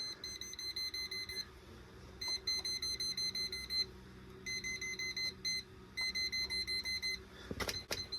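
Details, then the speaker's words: Voltage tester on an old electric water heater's circuit after its breaker is switched on, reading 240 V. Rapid high-pitched chirping beeps in repeated bursts, pausing between contacts, then handling clicks; voltage present. "Let's go ahead and throw this on. All right, we are energized there. So I've got my voltage tester here."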